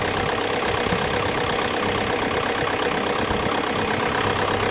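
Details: VW Passat 3C B6 2.0 TDI 125 kW diesel that shakes badly and seems to knock briefly just before starting: harsh, busy, uneven idle clatter with faint irregular knocking; rough running, cause unknown.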